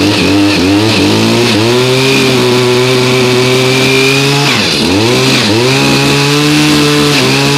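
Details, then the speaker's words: New two-stroke unit, cold start around 30°F after about 5 months stored on ethanol-free fuel without stabilizer, choked and primed: crisp buzz holding steady high revs, briefly dipping and recovering cleanly; normal running, as expected of a new unit. "okay runs good no surprise from a new unit"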